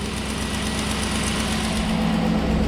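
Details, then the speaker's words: Red crew cab truck started after a quick repair using a 15 mm socket: steady, even low idle rumble, with the earlier belt squeak gone; normal, quiet idle. "let's start it up should be nice and quiet now no belt squeaking there we go nice and quiet how it should"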